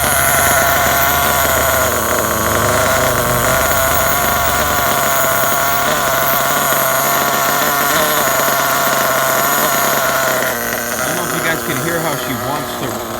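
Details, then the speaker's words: Losi 8ight RTR nitro truggy, hot (about 300 degrees), lean on the low end, running with cover off: buzzy uneven idle keeps creeping upward, rpm wants to climb instead of settling — lean low-speed needle, rising idle. "Listen to the idle. He's still rising up."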